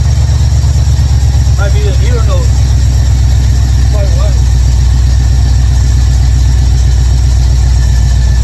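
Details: 1955 Chevrolet Bel Air carbureted V8, ignition bypassed, after finding closed air valves caused stalling and cleaning the carburetor squirters; steady, even low idle with smooth firing beat, no misses or stumbles.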